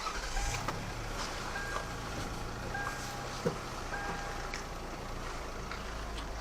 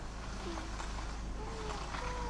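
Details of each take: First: Lexus RX300 idling while the steering wheel is turned, after lubricating the steering shaft rubber boot by the brake pedal and replacing the alternator belt: steady low rumble, the steering squeak (meowing) gone. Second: Lexus RX300 steering wheel turning: thin wavering cat-like meowing squeak that seems to come from the steering column; actually the steering shaft boot rubbing at the firewall near the brake pedal.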